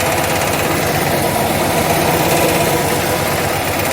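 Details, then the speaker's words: 1966 Austin Healey Sprite small four-cylinder, in neutral, after fuel pump replacement: idles on its own with a fairly even rapid beat, no knocks or misses; the old fuel pump caused the no-run. "but yeah she runs on her own that fuel pump was the reason why it wasn't running"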